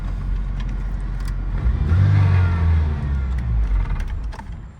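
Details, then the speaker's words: 1991 Ford Mustang Fox Body from a salvage auction: clean start, revs swell and settle back with a deep, even note, no knocks, rattles or funny noises; healthy engine. "No funny noises when starting."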